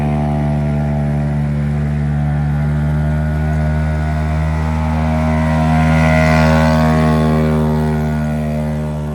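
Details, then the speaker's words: 6hp Hangkai two-stroke outboard running with its lower-unit exhaust cap blown out. A loud, raw, steady buzzing drone like an open straight pipe, because the exhaust escapes above water instead of through the water. "So we took it out. It's a lot louder. It kind of sounds like a straight pipe. It's not actually coming out through the water."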